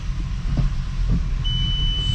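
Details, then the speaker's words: 12v VR6 Jetta wagon after refresh with clutch work done, car raised with wheels off the ground, no load: even drivetrain rumble in first gear, no clunks or grinding, steady high beep in background. Normal manual transmission in first. "second third fourth reverse nice and it feels smooth i don't hear any like clanks any uh"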